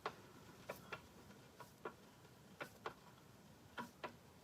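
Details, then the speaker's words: Volvo 122S gearbox during rebuild with new synchro ring and springs, turned by hand: light, sharp clicks in pairs about a second apart; reverse engages cleanly with no grinding. "didn't test reverse there's there's reverse hey it works"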